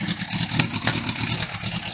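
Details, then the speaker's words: Suzuki Bandit 1200 restarted with starting spray while still hot: uneven, lumpy beat with irregular pulses; running rough, cause not found, exhaust and wiring known to be shot. "So it does run. So it is running rough, but"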